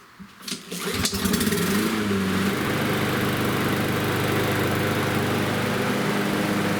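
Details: Lawn mower restarted after auto-choke arm fix: catches within a second, settles into steady, even run with no hunting or misfire; healthy.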